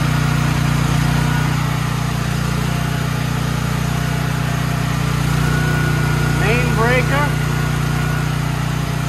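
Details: Troy-Bilt XP 7000 W generator, Briggs & Stratton 21 hp 420 cc, stored outdoors, just started: steady even low hum, smooth unbroken beat, no knocks or misses; engine runs cleanly, though no power output was later traced to a faulty AVR.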